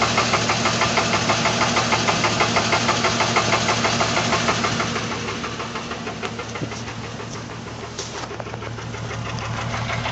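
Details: Jeep idling with a regular thump about three times a second, uneven beat of a misfiring cylinder; owner suspects a worn compression ring, not confirmed.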